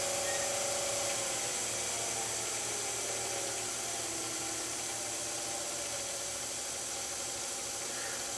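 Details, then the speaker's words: Low-pressure diaphragm misting pump at very low speed: steady hissy running with a regular throb about four times a second, pressure gauge vibrating because the regulating valve has stopped bypassing and all flow goes to the nozzle; pump pulsing. "and you can see we're starting to we're at a very low speed now and one of the indications that the regulating valve here is not working anymore and we're going all out to the nozzle is the vibration of the gauge"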